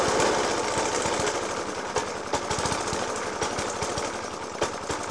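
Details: Suffolk Punch 30S lawnmower (1991 era) with Dellorto FCH 20 carb: loping idle broken by loud irregular bangs a few times a second, rattly engine, after spark plug change, decoke and carb clean; banging unexplained.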